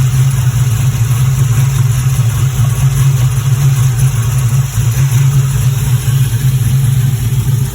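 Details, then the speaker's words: Pontiac GTO idling about 10 minutes after fuel pump reinstall with fuel pressure restored to 50 psi (previously stalled after 5–10 minutes); steady even idle, deep smooth note, no stumbles, misses or surging; runs healthy. "okay got the gto idling in the background and i'm just going to come back in here so i don't like a silhouette but it's been running for about 10 minutes so far"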